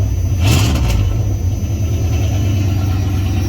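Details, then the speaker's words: Engine just started, not up to temperature, with new double-barrel hood intake fitted; steady low drone with a brief hiss of air being pulled in, running evenly. Normal running. "there we go so we got it running um definitely not up to temp"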